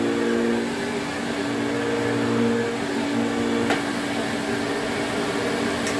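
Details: 1980s Electrolux Twin Turbo 500-series exclusive (1988 Z517 or 1989 Z521) with a 550 W motor, on a quick run test. Even, steady motor whine at constant pitch with no rattles or surging. Motor runs healthy and suction is good.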